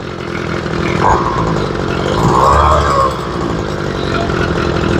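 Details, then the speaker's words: Ryobi two-stroke weed eater after carb and fuel line replacement, idle screw turned way out: it idles raggedly, revs surging and sagging without settling, clearly not getting enough fuel at idle. Lean idle. "now turn the idle way out thinking I've gotten away with it but I didn't definitely not getting enough fuel at idle just a little bit"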